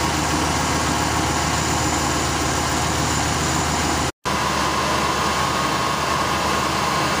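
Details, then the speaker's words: 1966 Ford Thunderbird engine, not run in many years, at idle with the idle speed turned down: smooth, even low rumble with no knocks or misses, though idle still wanders slightly up and down; normal, healthy idle. "all right with the idle down she sounds a whole lot better i'm still having the finicky with it it wants to go up a little bit come down a little bit but it hasn't been run in many years so it still sounds good huh"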